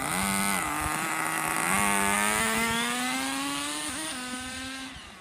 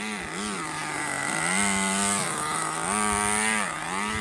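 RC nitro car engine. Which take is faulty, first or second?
second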